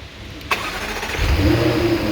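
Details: 2015 Jaguar F-Type supercharged engine, 72k miles, after hydrolock repair: restart where starter catches after half a second and engine fires cleanly, settling into smooth, even idle with no misfire or knock.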